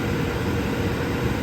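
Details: Indoor furnace blower after loose duct insulation liner, which had been sucked in and caused loud noise, was glued back and held down: steady, even rush of air with a low smooth hum and no rattles or scraping; running normally.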